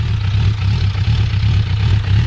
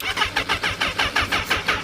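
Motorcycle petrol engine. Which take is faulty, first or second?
second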